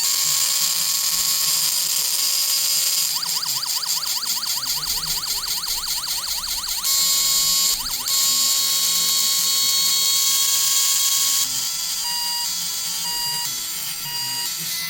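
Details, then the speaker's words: Newly bought RC horn sound module, button pressed and held to cycle sound patterns: harsh crackly static over fast ratcheting warble and steady tones; badly distorted output, speaker or module suspected, not confirmed. "I push and hold it to get different sound waves. 1001, 1002, 1003. And listen to that static."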